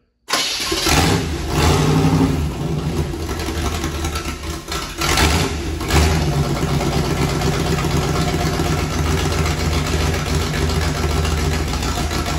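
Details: V8 turbo burnout-car build, first start before turbo fitted, alternator belt not on: fires up and settles into a steady lumpy idle, then picks up cleanly on throttle blips; runs good.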